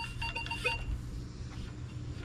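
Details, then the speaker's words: Minelab Vanquish 540 with V8 8-inch coil over a ring at 6 inches: short clear repeating high beep, clean and consistent; solid target tone. "Okay, so really, you get 10 inches, you get a scratchy tone, but I call that a diggable tone. Solid tone at 8 inches."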